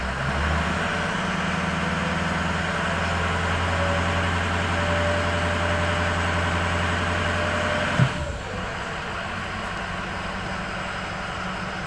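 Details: High idle on an engine with poor cylinder balance, cylinder 8 cut out: uneven, lumpy beat under a steady drone, one cylinder dropping out of the firing; misfire on one cylinder, cylinder eight dead.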